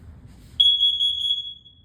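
A sudden shrill, piercing tone of about a second, steady in pitch then fading; the CO alarm sounding normally on test.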